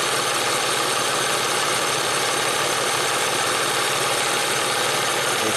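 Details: 1994 Ford Probe V6 warming up at idle: fast, uneven ticking knock from the front of the engine; timing belt tensioner seen through inspection cover is out of oil, needs timing belt job before driving far.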